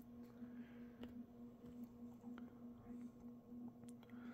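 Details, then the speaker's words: Mid-to-late 1980s 56-inch industrial ceiling fan (possibly HRS), cast iron motor, on a 5-speed coil choke control: steady 60-cycle buzz with faint clunks about every half second from a loose-fitting motor housing at the bearing. "kind of thinking that it's not as tight as it should be which it's no big of no big deal but it does make that clunking sound and creates that 60 Cycle Buzz"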